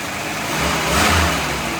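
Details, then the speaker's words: 1988 GMC S15 truck, first start in years after fitting a new battery, with clean full oil. The engine catches and settles into a steady even hum with a slight swell in revs, running smooth and healthy after long storage. "Can you believe that? I don't want to tell you what I paid. I don't know how long this has been sitting, but she runs great."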